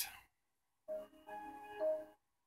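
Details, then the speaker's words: Samsung LN37A550P3F 37-inch LCD TV (2008) cycling on startup: single startup chime repeating with each failed boot, picture showing stripes and wrong colors, no sound; main-board fault, suspected 47 µF 10 V tantalum capacitor and MP2363 step-down chip. "believe this is our seventh attempt still crazy colors crazy stripes not locked on not quite it's getting very close but still not quite no sound and picture isn't quite right"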